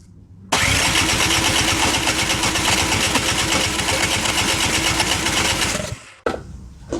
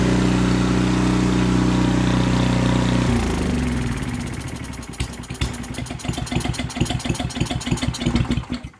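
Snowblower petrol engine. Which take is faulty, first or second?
first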